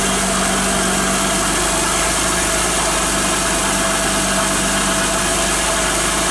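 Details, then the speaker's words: Car idling after cornstarch (maize flour) was applied to the pulleys of a belt that squealed from getting wet: a steady, smooth hum with no squeal or chirp from the belt area. Normal idle, the belt is quiet. "Bien amigos pues como han visto el sonido ha desaparecido Ojala que les haya servido y lo puedan hacer en sus casas."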